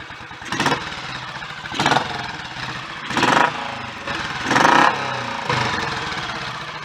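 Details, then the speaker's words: Royal Enfield 500 Electra X (AVL) single-cylinder after full engine tuning, clutch and possibly gearbox work still pending, no decompressor; single-cylinder thump with periodic rev swells over a steady idle, even and healthy, no knocks or rattles. "I haven't got the decompressor anymore, so I'm just going to have to switch it off to stop it. But, overall that sounds promising, I'm happy with that."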